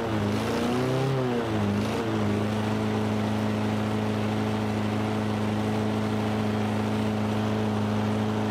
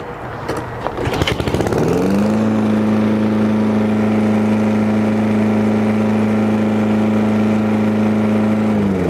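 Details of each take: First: Toro Recycler 22-inch mower engine: speed swells and dips unevenly, sputtering and kicking for a couple of seconds before holding a steady drone; owner doubts water in the fuel, improved after turning up the speed setting. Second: Toro Recycler 22-inch mower after oil change, cleaned carburetor and new spark plug, previously sputtering: pull start sputters, catches within two seconds, auto choke, settles to steady even drone with no misses; runs healthy.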